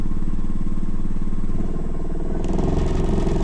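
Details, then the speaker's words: Mini wood lathe with eccentric jig set at the extreme offset position, screwed to bench and wall: heavy rhythmic thumping about three beats a second under motor drone, whole bench vibrating at any speed from off-center load. "now you can hear the sound I mean I'm on the going at any speed it's vibrating like M unless you a really secure mounting uh on the floor Etc"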